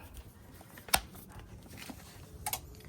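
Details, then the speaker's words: GE side-by-side refrigerator, after repairing loose and broken wires: powering up gives sharp relay clicks about 1.5 seconds apart but the compressor never kicks on; control board judged bad. "Makes the click. Ah, me. That's not good. See that clicking? That means this board is messed up as well. It's not supposed to be making that noise."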